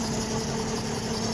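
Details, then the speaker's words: 2013 Lincoln MKX right after engine replacement, first start: smooth, steady idle hum with no stumbles or misfire beats; power steering foam noise expected to clear; runs even and healthy. "this noise is just a power steering it's gonna go away when uh the foam gets the oil so let's go see how the car is running okay I don't see any sign of misfiring"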